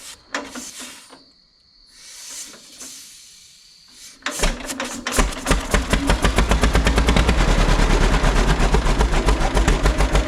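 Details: 1936 John Deere A, hand-started via flywheel, choke then off, throttle halfway, petcocks open: hesitant pops, then slow even putt-putt about three and a half beats a second; sounds healthy.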